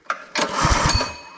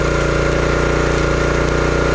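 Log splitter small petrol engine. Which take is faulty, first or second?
first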